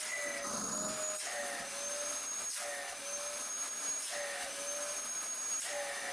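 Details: Dyson cylinder vacuum (DC08 series) test run after reassembly with filters and hose refitted: steady high whine with even airflow rush and gentle slow swells; motor healthy and running smoothly.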